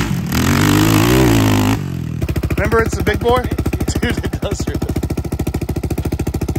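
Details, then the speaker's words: Yamaha Raptor 660R single-cylinder ATV with a new top end, adjusted valves, new battery and no air filter. A quick rev blip, then a steady, even idle of about three beats a second with no misses, echoing off a tree; normal idle and revving. "dude you can hear an echoing off that tree when it idles"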